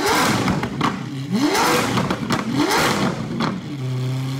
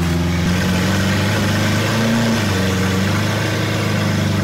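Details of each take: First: Lamborghini Aventador SV V12, rolled-over wreck being rebuilt, freshly started and still cold; short rising revs well below redline that stumble, choke and crackle before a lumpy idle; rough cold-start revving. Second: Lamborghini Aventador SV V12, rolled-over wreck being rebuilt, idling at first startup with rocks in the carbon ceramic brakes; steady even low hum, no more hiccuping, no stumbles or misses; normal idle.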